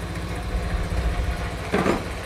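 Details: Honda Scoopy scooter at idle during fuel pump check, pressure holding about 43–45: steady, even low putter with no misfire or stumble; fuel pump performing well, smooth healthy running.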